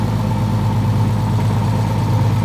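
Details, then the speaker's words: RB30DET mated to a BMW 7-speed DCT in a 1950s Ford Popular/Anglia, engine hot, gearbox just reinstalled: steady low idle with a faint constant hum; transmission noise from low fluid and trapped air. "gearbox. Why is it making that noise? Low on fluid. What? Just cuz it's low on fluid."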